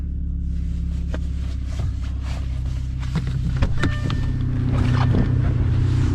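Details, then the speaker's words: Audi A4 B7 2.0 turbo, 107K miles, after replacing spark plugs and coil packs for a misfire from a bad coil: steady even idle, smooth, all cylinders firing cleanly. "That's how it's supposed to sound."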